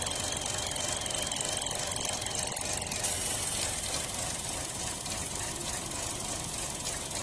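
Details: 2016 Buick Encore idling very rough and surging, intermittently stalling, code P0131: uneven lumpy idle with steady hiss; leaking crankcase vent (PCV) disc on valve cover drawing vacuum air, valve cover needs replacing.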